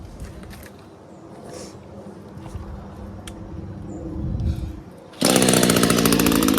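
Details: Craftsman (MTD) lawn mower that started last year but had trouble: quiet rustling, then the engine catches at once and settles into a steady, even drone after repair; starts and runs fine.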